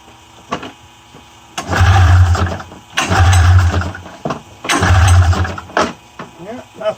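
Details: 1994 Polaris Indy 500 EFI snowmobile wired by jumper to a 12 V battery, no key: three roughly one-second bursts of cranking, never firing; cranks but won't start, cause unknown.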